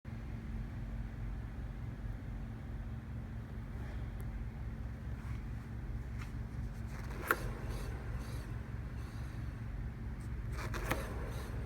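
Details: Rover Mini while driving: a steady low hum holds one pitch over the road noise for the whole run; wheel hub bearing noise.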